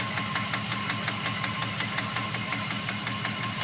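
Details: 2002 Dodge Ram 4.7 V8 at rough idle: sharp, steady ticking knock about three per second from the motor; three mechanics say it needs a new motor, owner asks if something else could cause it.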